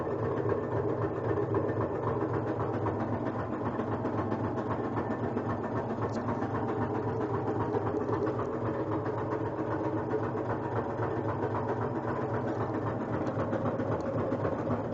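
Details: Kenmore front-load washer during spin cycle: steady fast thumping of about four beats a second over motor hum, as if hitting something or a belt rubbing; no objects found inside, cycle completes normally, cause unclear.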